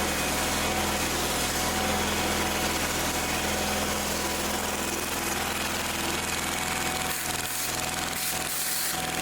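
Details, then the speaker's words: Old Simplicity tractor that wouldn't start, after fuel fitting work, cranked on choke: small engine now runs on its own at steady even idle with fast light beat and no misses; some gas leaking. "well it's running you're working"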